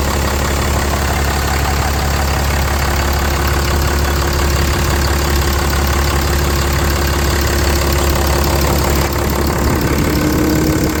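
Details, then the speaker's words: Ram 3500 idling after heater core supply hose replacement, left running to build coolant pressure: loud, steady idle with an even clatter-free rhythm and no stumbling or surging; belt looks good, engine healthy. "Running, the belt still looks good. Coolant has good. I'm going to let the system build up some pressure. I'm going to leave it running."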